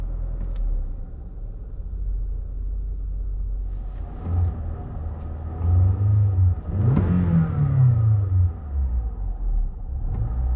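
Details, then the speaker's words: 2014 Toyota Camry, 207k miles, warmed up: revs dropped from raised speed, engine can't hold idle, runs low, shakes hard and stalls. Cause was oily carbon around the throttle body butterfly; cleaning fixed it. "Okay, car just started. Struggling to hold an idle, and she shut off. So we'll restart the car. Struggling to hold an idle. Real low idle. Shaking real hard, and oh, and she shut off."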